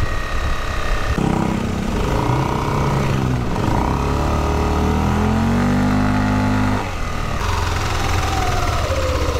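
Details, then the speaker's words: Yamaha Aerox scooter CVT after replacing the torque drive bearing and clutch lining rubber, mic taped near the CVT; noise had come when releasing the throttle: idles, revs and settles smoothly with no rattle; fixed. "Test allri mga karota, ayos na yung motor natin."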